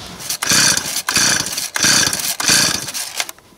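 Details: Used Stihl 026 chainsaw: repeated rasping pull-starts at about one and a half per second with no firing; runs only on fuel primed into the top, owner suspects hardened carburettor diaphragms not drawing fuel.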